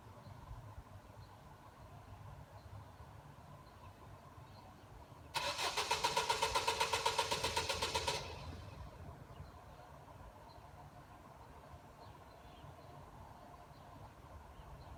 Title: It's weekend: And the car won't start